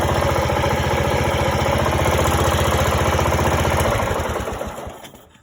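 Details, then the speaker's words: Greenfield E2000 ride-on mower, 17HP Briggs & Stratton Intek OHV, sat for years, revived: even steady beat about four pulses a second, smooth and regular until shut-off; runs nicely, healthy. "There you go, secret weapon. That runs pretty nice."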